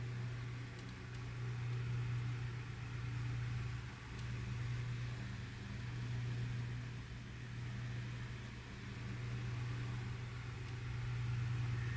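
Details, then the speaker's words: 1988–89 Lasko 9" desk fan model 2154 on high after oscillation gearbox modification with added washer: steady low motor drone with gentle slow swell, no grinding or catching; runs smoother than before. "but so far as I'm hearing it it actually runs a lot more smoother than what it did before"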